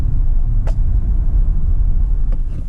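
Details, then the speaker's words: 2018 Chevy Tahoe 5.3L, about 13,000 miles, test drive after misfire repair: moderate throttle, not floored, deep smooth even rumble building steadily with no stumble, pulling good; normal engine under load. "Just tramp down on it a little bit. I didn't put it to the floor. It's pulling good."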